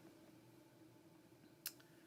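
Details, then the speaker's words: Spinning wheel's footman joint making a slight noise while spinning silk-blend fiber: one crisp click stands out over a faint steady hum as the wheel turns. "Teresa said, just a click. Okay, you can hear the click. That's the footman."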